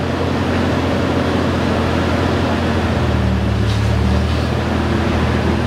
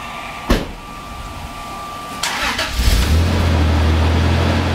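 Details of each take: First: 1995 Toyota Tacoma 3.4L 4x4 with new exhaust and muffler installed: deep, steady exhaust rumble at idle with an even beat and no rattles, hisses or puffing leaks; normal exhaust note. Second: 1995 Toyota Tacoma 3.4L 4x4 with 232,000 miles, before repair: the engine starts and settles into a loud, deep, uneven idle rumble. The exhaust is rusted through with a big hole right behind the muffler; exhaust leak.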